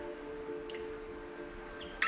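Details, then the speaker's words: Threading a solid brass bar with a UNF die for a custom Sportster shifter rod, turned slowly: faint intermittent high squeaks over quiet steady tones; soft brass cut dry, a little WD-40 or light lubricating oil will do for it. "you can hear that squeaking now with brass because it's soft you don't need a heavy oil to cut that sometimes just a little bit of wd-40 or equivalent like a lubricating oil will do for that job"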